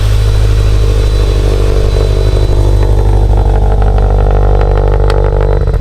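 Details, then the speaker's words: Subaru STI with GTX3576 turbo, first cold start after two months sitting, in neutral, warming up to bleed coolant: deep, loud, steady burbling idle with slight uneven lope, no knocks or rattles; smoking as it burns off residue, normal cold-start idle. "Let this thing warm up so I can bleed out the coolant system, but everything sounds good."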